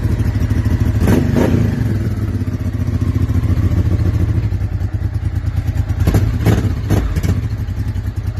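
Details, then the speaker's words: 1999 Honda Deauville 650 V-twin after carb overhaul and broken loom wire repair restoring front-cylinder spark, carbs still unbalanced: deep even thrum at idle with two crisp throttle blips climbing and falling cleanly; running on both cylinders. "It is not possible, because when I bought the bike, Timok, the owner, the previous owner, Edition, sent me a video of the bike running and revving and everything."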